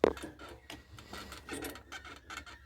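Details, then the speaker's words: Honda CG 1999 (CG 99) motorcycle, engine off: dry rubbing creaks in uneven bursts as weight shifts; owner suspects jumps and potholes and points to the swingarm, not confirmed. "Eh, ó, eu acho que isso aqui foi devido aos aos pulos, né? Aos pulos, aos buracos, certo?"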